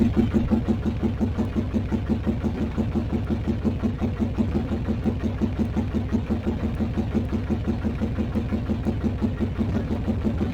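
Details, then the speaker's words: 1981-83 Yamaha Virago bobber after fitting larger carb jets, on center stand level: uneven loping idle near three pulses a second varying in strength before the pilot air-fuel mixture screw is tuned. "you'll probably hear the motor loping and then as i tune in i'll find the sweet spot on the air fuel"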